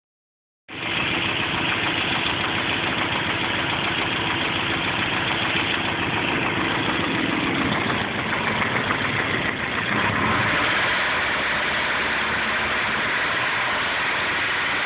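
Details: Nissan KA24 petrol engine idles with a steady, fairly regular knock, roughly three to four per second; owner suspects rod knock, timing chain or lifter, not confirmed.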